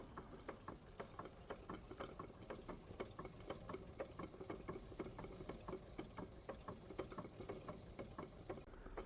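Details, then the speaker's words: Wilesco D32 model steam engine, restored with a new control panel: light, regular chuff-and-tick about two beats a second, steady and smooth, no rattle; always starts straight away. Normal running. "It always starts straight away. It always runs. It doesn't rattle. It's not rattly. Smooth. I don't run them fast, but it's smooth."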